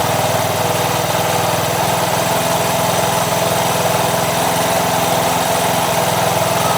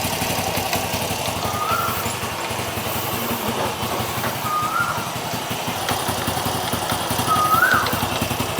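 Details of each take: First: Honda Wave 100 single-cylinder motorcycle after new C6HS spark plug and carburettor cleaning, idle raised slightly: even, steady putter, running smoothly; faint tok-tok is the three clutch damper rubbers. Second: Honda Wave 100 idling after new C6HS spark plug and carburettor cleaning: light loose tok-tok knocking under the steady putter from worn three clutch damper rubbers.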